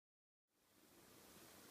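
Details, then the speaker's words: Olympus OM-D camera at power-on: after silence a steady hissing whir starts at switch-on and rises slightly, an abnormal noise judged a fault; aperture-priority mode. "症状、スイッチを入れます。こういう異音がします。"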